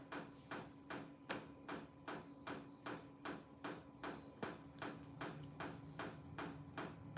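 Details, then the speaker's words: Running portable diesel air heater indoors, exhaust piped outside: steady dull thumps about two and a half per second over a low fan hum; normal fuel pump ticking. "hear that that thumping noise is the fuel pump okay"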